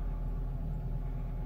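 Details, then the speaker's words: 2002 Renault Clio II that wouldn't start with immobilizer red light after flat battery, restarting, suspected touchy ECU connection: starts and idles with smooth low even rumble, no misses or knocks; normal idle. "so let's try it again now key in on and it starts"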